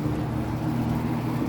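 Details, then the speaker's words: Early-mid 1980s Lakewood P-223 20-inch box fan with McMillan motor on high speed: steady hum and airflow with a light buzzy rattle from loose threaded mounting studs; blade possibly slightly off balance. "now you can really hear those threaded stud things rattling I think the Blade's a little bit off balance too"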